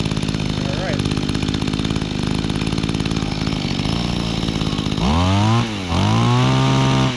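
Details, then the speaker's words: Mantis Mini Tiller, 21.2cc two-stroke on Echo Red Armor fuel, after priming, started easily and warming up: steady even buzz, then two clean blips up and down; sounds healthy and responsive, normal running. "All right. So that thing started easily. I am very impressed."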